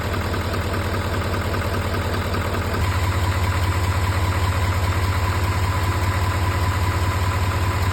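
A steady diesel idle carries a crisp, regular tick about two and a half times a second that keeps time with the engine.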